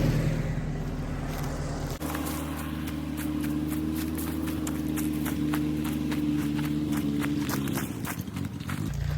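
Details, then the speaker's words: Willys-powered 120/240V 52 A Army skid generator, small light string load switched on: hum sags, labours and wavers instead of holding; bogging under electrical load, owner says carburetor needs rebuild, still generates. "she's struggling hot dog oh no oh i gotta rebuild that carburetor but she generates folks"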